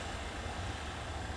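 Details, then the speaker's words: JVR Vac110 chamber vacuum sealer with oil-based pump, mic right up against it while vacuuming a bag; low, soft, even hum with no rattle or strain, barely audible: pump running quietly and normally. "you can hear or not here that's how quiet the vac 110 is pretty much right up against it you can barely hear it"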